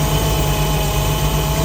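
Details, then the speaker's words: Jeep petrol engine with head gasket and pushrods redone in 2019 idles with a low, uneven throb and valve noise; no blow-by, and the owner suspects a loose rocker arm plus PCV issues or vacuum leaks. "we can try that no blow by that's good you can tell the auto changed a little bit though maybe some PC V issues or some vacuum leaks still going on"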